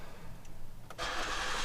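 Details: Ford Flex 3.5 EcoBoost twin-turbo from a collection: brief quiet, then it catches at once and settles into a smooth, even run; a healthy, clean start.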